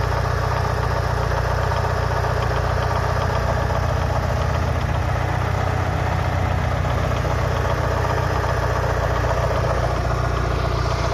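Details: Mitsubishi Lancer Evolution VI 4G63T turbo four-cylinder fully warm (oil 85–90°C) at idle: faint regular knock about three taps a second; owner unsure whether rod knock or lifters.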